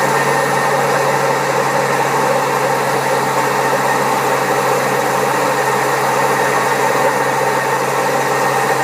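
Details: Old Servis Caress 1300 A washing machine, also with a creaky pump, spinning at 1300 rpm: loud, steady roar with a constant hum through the whole spin; very bad drum bearings.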